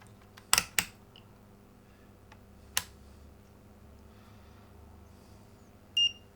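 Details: Philips 138 Mistral Four valve (tube) radio, power switch repaired: a few handling clicks, then one short high beep from the continuity tester shows the switch conducts again and the circuit is good.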